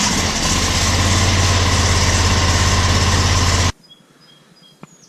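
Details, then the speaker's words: 60-inch Kubota zero-turn mower after new spark plugs fitted and fuel line drained: starts easier, steady even engine note with no knock or miss; normal running. "Alright, good as new. Actually starts up a little easier. Amazing what new plugs will do."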